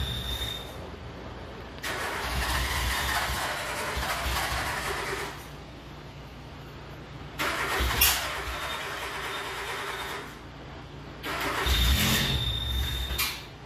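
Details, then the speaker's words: Le Car, an old French car, cranked three long times with front and rear fans on; uneven coughs nearly fire then die, so it won't catch. Owner suspects fouled plugs and a wrong fuel mixture, with some flooding. "I think we failed the plugs we don't have the fuel mixture right I did have some over flooding"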